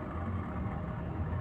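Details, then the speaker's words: Indoor air-conditioner unit running after a reset: a steady fan hum with a rough, gritty, crackling rasp underneath, located at the indoor fan motor. Fan motor bearing grinding; the unit is to be disassembled. "Nahin sobat ada suara kemrosok nih 10 suara kemresek ini kelihatannya eh di bagian motornya"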